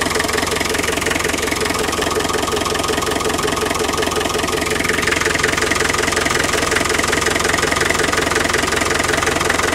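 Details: Land Rover 110 2.5 turbo diesel County station wagon, almost 170,000 miles, warm idle after a drive: even steady clatter, no knocks or misses; not stalling, smoke gone when warm; oil leaking near rocker cover gasket; healthy.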